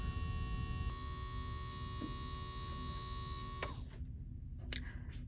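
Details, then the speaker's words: New BERNINA sewing machine with the bobbin winder engaged: steady low electrical hum with faint buzz and no mechanical knocking; normal bobbin winder sound, nothing wrong. "My brand new machine out of the box is making this weird humming noise."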